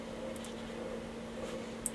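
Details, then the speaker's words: 1970 KB record player, BSR UA15SS record changer after strip-down, cleaning and regreasing, bench power test at 16 RPM: faint steady low hum, no ticks or scrapes; motor running quietly and smoothly. "so that should be the motor on what's nice is I can't hear it running 16 RPM let's go"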